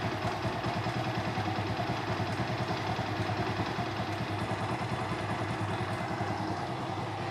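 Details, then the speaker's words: Motorcycle sitting for years, fuel tank cleaned, first start: uneven idle with light, irregular clatter and tapping. Owner suspects a timing noise and possible piston knock; engine must be opened, maybe rebuilt. "But इसमें अभी एक तो टाइमिंग की साउंड लग रही है मेरे को, पिस्टन की भी नॉकिंग साउंड हो सकती है।"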